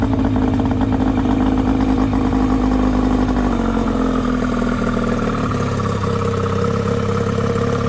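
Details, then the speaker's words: 25 hp outboard after carb repair with new bowl gasket replacing old hard worn one: steady even two-stroke buzz, no misses, pops or rattles; all issues fixed, normal running. "so here's the engine i got a fully detailed and uh she's ready to go motor has no issues i fixed all the issues in it"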